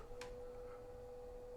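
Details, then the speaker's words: Drive Spitfire Scout four-wheel mobility scooter with the rear end lifted, driving in reverse: a steady, even, mid-pitched motor hum with no knocks or grinding. The drive motor is running normally. "yeah that sounds pretty good"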